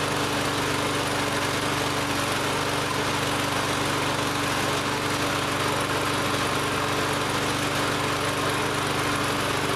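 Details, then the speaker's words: Lawn-Boy mower after carb cleaner was sprayed into the intake, air filter and cover still off: steady, even drone with no surging or stumbling, running cleanly. "so so far it's running pretty good now this is all just in a couple minutes"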